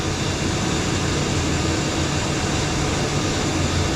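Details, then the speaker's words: Water park filter pump restarted after an extended shutdown, priming with valve closed to push water back: steady, even rush of motor and water flow, no surging, cavitation rattle or squeal; pump primed and running well. "So when this pump finally catches, it's probably deep primed right now. It's doing pretty good actually."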